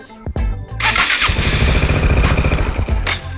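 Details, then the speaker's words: Yamaha XMAX bored up to 300cc, fitted with an RPD PowerPro aftermarket starter motor in place of the stock one. A quick, free-spinning crank, lighter than stock, catches within about a second with no drag: a healthy start. "Terdengar bahwa putaran dinamonya ini lebih ringan dibandingkan bawaan. Jadi cocok banget untuk motor bore up 300cc ini dan akan cocok juga di motor-motor Hypestoner."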